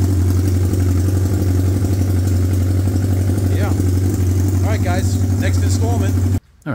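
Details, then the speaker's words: 1979 Honda CB750 F Super Sport four-cylinder first started after the tank was cleaned of dried gas, running on cut-off open pipes because the exhaust rusted out: loud, raw, deep idle rumble with blunt popping pulses, no muffling. "oh yeah I got no exhaust on it because you can see the exhaust is rusted out so so I just cut the pipes off and see if I can get some pipes to match"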